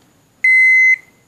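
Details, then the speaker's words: Sanyo 7 kg washing machine control board after no-power repair, bench powered up with no water level sensor (float) fitted: a single clean high beep about half a second long; missing-float alarm. "Đây là báo thiếu phao. Khi máy giặt Sennheiser là khi khởi động nguồn lên không có phao thì nó sẽ báo thiếu phao."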